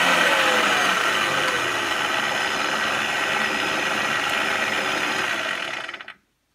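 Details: Clatronic KM2718 1000 W kitchen mixer after repair of a loose, slipping drive belt, with a metal disc added to keep the belt in place: steady even motor whir, light constant rattle, clean stop; normal running.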